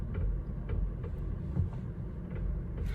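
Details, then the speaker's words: 2017 Honda Civic with the steering turned to one side: soft dull "tak tak" tapping, two or three a second, under a low rumble; steering knock, also on the other side, suspected in the steering assembly, not confirmed. "यह आपने स्टयरिंग एक side को turn कर ली है। यह आपको आवाज आ रही होगी। यह टक टक टक टक की आवाज है।"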